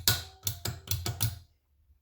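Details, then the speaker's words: Switch freed after carpet jammed underneath stopped it pressing; worked in a vice with vice grips, it now clicks crisply and evenly, six quick clicks then one more, operating freely. "I've just put this in the vice now, got some vice grips on it, and I just started to move it. And it's just come up. You can hear it clicking."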